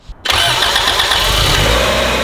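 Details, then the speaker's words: Honda CRX with newly swapped B18C1 engine, new radiators, oil and coolant filled, first start: quiet moment, then engine catches at once and settles into a smooth, steady idle with very quiet exhaust; healthy start. "Dude, that exhaust is so quiet. Oh, it just runs, man."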